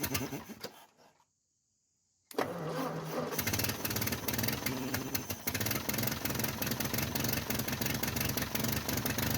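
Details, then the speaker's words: 1949 Ford 8N flathead tractor, first run after a possibly rebuilt carburetor and restored spark, timing and gap unchecked: short crank, catches after a pause, then a steady, fairly even chugging run. Runs fine; possible exhaust leak at a leaking flange. "Not bad. Sounds like there might be an exhaust leak. I know that flange is leaking though."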